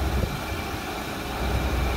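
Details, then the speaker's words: 1995 Chevrolet Suburban at idle after throttle body gasket replacement (the second since new): low, steady idle, no rising or falling surges; the earlier surging, blamed on the intake gasket, is fixed. Normal idle. "i never thought it would have been the intake gasket until it started doing that on that surging thing but that problem's fixed"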